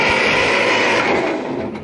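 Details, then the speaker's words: 1955 Ferguson TO-35 tractor, long sitting, in neutral, spark plugs removed: even whirring starter spin with no lumps, fading as button is released; normal starter cranking without compression. "that sounds pretty good too it doesn't have any lumps in it when it's going around"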